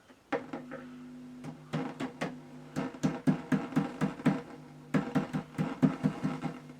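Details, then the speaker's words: Ultra record player with intermittent sound dropout: speaker audio cuts in and out in step with sharp taps on the case, suspected dry solder joint. "basically the Sun was dropping out so we'll turn it on there we have to do it straight away either on the food there we are"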